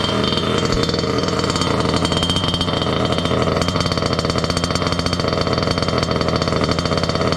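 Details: Water-cooled two-stroke Goped scooter, new coolant pump: fast buzzy idle hanging high and never settling; running lean from an air leak at the unplugged pulse line to the other pump; plugging it made idle drop.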